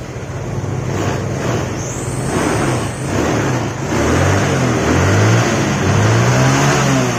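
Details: Mio scooter that sputtered at high throttle and high RPM, after the repair with the vacuum rubber and cover refitted. The engine climbs cleanly through repeated revs and falls back smoothly with no sputter at the top.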